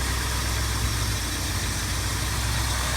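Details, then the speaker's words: 1989 Plymouth Acclaim, used car checked before purchase, engine idling: runs smooth and quiet with a steady low hum, no knocks, ticks, belt squeal or accessory bearing noise. Sounds exactly as it should, normal idle. "And this motor actually sounds pretty much exactly the way it should. No major, no knocks, no ticks, no belt squealing or anything else like that. It's running nice and smooth, nice and quiet."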